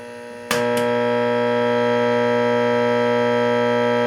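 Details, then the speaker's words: Late-1965 Gibson Epiphone EA-32RVT Comet tube guitar amp at volume 10: faint idle hiss jumps to a loud, steady buzzing hum when the reverb is switched on, due to poor grounding, not the loose wires. "so listen to the amount of noise I mean just sheer noise that's being generated and this has nothing to do with these loose wires"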